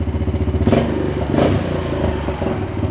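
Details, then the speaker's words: 1998 Honda Foreman 450 ATV after voltage regulator repair for not charging: single-cylinder blips up and settles back, steady firing with no misses or knocks; voltage 13.8 at idle rising to 14 when revved, charging fixed. "running up to 14 when I rev It Up looks like we fixed the charging problem"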